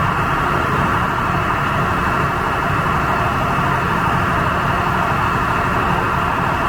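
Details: Standby diesel genset at a warehouse distribution center, oil checked clean and sufficient, test-mode run off-load: loud steady even roar, no knocks or surging; normal off-load run.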